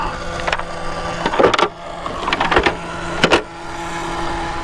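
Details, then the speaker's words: 2026 Traxxas Stampede 4x4 VX3 brushless RC monster truck during bashing: thin steady whir under handling clatter and knocks, cooling fan sounding rough and possibly starting to fail, a known Traxxas weakness; noisy cooling fan. "fan. Sounds like it's starting to go. Kind of a weakness on these trucks, or these Traxxas fans have always been a little suspect."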